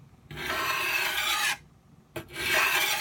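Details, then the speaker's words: Old dull knife on a 12 in Norton India/Crystolon three-sided bench stone: blade held at too steep an angle gives a harsh, gritty grinding, scraping rasp on each stroke, two passes with a pause, risking knocking off the edge. "okay if you get too steep of an angle you'll hear you'll hear a grinding scraping cutting since this is an old dead blade"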